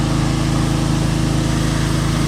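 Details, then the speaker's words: Pressure washer with 6 hp Briggs & Stratton engine and vertical pump, previously stalling under load, after adding pump protector oil: steady low drone with even pulse, no dips or bogging; holds speed, pump comes on faster. "the the pump comes on a lot faster now too"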